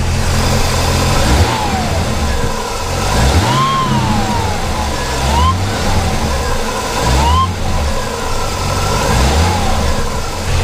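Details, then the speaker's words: C4 Corvette warming up for the first time in weeks at about 47 degrees: each throttle blip brings a thin whistle rising and falling with revs over the engine drone. The source is unknown. "so it's kind of a weird worrying / whistling sound that you got in there I haven't heard that before"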